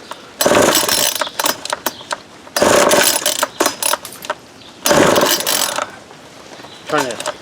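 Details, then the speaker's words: Vintage Craftsman 22cc string trimmer, believed early-to-mid 1980s, no clutch, fuel line replaced and carburetor cleaned; three ratchety pull-cord strokes with whirring spool, no firing between pulls, cranks but won't start. "it's not working too good make sure I got it right yeah choke is on right the other way I tried you can hear it barked a little bit there"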